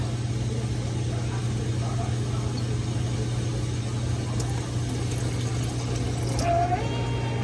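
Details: Coffee machine milk system test ordering warm milk to isolate fridge from spout; steady low hum at one even pitch with no rattle or surging, milk pump running normally.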